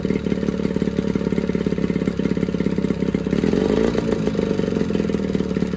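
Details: Johnson 9.9 two-stroke outboard (kicker motor) after a carb kit rebuild and new plugs gapped to spec: low, steady putter with an even beat and a brief rise in revs, pretty quiet; clean normal idle.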